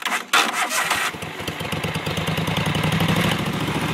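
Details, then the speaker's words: Scag 3-wheel 61-inch zero-turn mower, Kohler 22 hp oil-cooled, new battery; owner suspects starter solenoid: short cranking burst, engine catches cleanly and settles into steady even idle. "but it always will start up if you hit it a few times that's idle"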